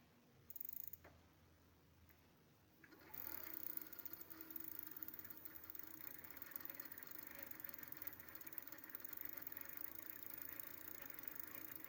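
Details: Prophete Entdecker e8.6 e-bike with a Trio 250W 36V rear hub motor (Bafang BFSWX02 planetary geared), five months old, three in use, about 1000 km on daily hilly trips. Light, fairly regular ticking about four clicks a second over the motor hum. Geared hub motor noisy.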